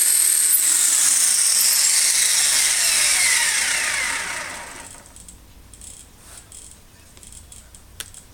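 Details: Electric RC helicopter, iKON flybarless governor, HobbyWing RPM sensor, Castle HV ESC, throttle hold applied from normal mode: a high electric whine sweeps smoothly down over about four seconds as the rotor winds down to a stop.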